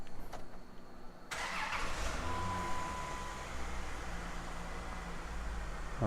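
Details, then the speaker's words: 2001 Chrysler 300M after replacing injectors and spark plugs for a misfire (likely cylinder 6): short crank, quick catch, then steady smooth idle with no stumbles, no misfire counters and no check engine light. "are very good idol is very very steady remember this car was misfire Nicole warm either way"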